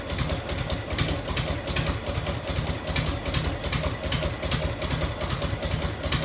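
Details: 1990 Harley FLHTC Evo V-twin, cold start on choke and fuel reserve, heat shield off. Lumpy idle with a light, sharp tick on each firing pulse: exhaust leak at a crooked header clamp that needs tightening or shimming.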